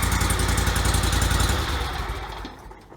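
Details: 2004 Toro Z553 mower, Kohler Command CH23 23 hp V-twin, about 453 hours, after replacing the popped-out PTO-side oil seal, some bolts left loose: steady, even thrum at fast idle, no knocks or rattles, then winds down smoothly; healthy.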